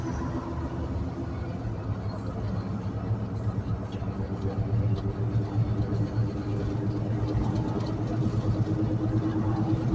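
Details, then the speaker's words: Flood-damaged 2006 GMC Yukon rolling forward: a low rumbling drone pulsing with wheel speed, with vibration felt in the steering wheel. A failing or locked-up front wheel bearing in the sealed one-piece hub unit is suspected. "it that's definitely a wheel bearing noise he's got sealed units in the front end basically it's a one-piece deal"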